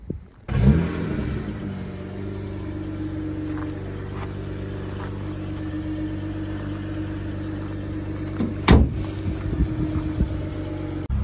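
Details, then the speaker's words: BMW B58 turbo driving on road after electric wastegate actuator fix cured limp mode (codes 123432, 123437); blow-off valve and boost building now audible, no surging or cutting out, steady smooth drone. Normal running under load. "and I can hear my blowoff valve and I can hear the Boost building which I couldn't hear the Boost building before so"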